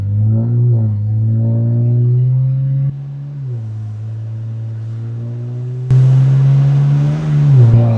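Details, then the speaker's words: BMW 335i, step-two colder plugs gapped 0.022 in, driving: engine pulls then revs flare before the third-to-fourth upshift catches; automatic transmission slipping, owner unsure if torque converter or fluid flow. "when it upshifts. I mean, it revs. It It feels like it's kind of slipping before it actually goes into into being able to shift."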